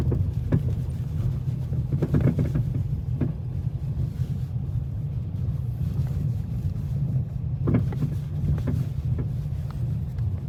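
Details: Dodge Challenger Hemi on the road: short, sharp clunks in scattered clusters over low road rumble, from loose sway bar links; fixed at no cost by tightening the sway bar link nuts.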